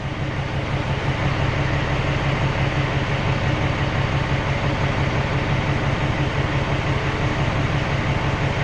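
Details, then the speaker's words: Peterbilt 379 ISX Cummins cylinder cutout test at idle with cylinder 5 cut out. The heavy, slightly lumpy thump of about three beats a second changes clearly, so the cylinder is contributing. "It's not as noticeable as 5 though. See how 5's a lot different?"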